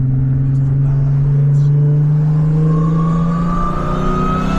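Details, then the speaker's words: B8 Audi S4, multiple-cylinder misfire fixed by replacing old spark plugs, driving on icy road: smooth, even engine note climbing through the revs with no stumble, misfire gone and running clean. "this thing is not even hold on this thing is not even misfire no more this [ __ ] is good this thing's nasty"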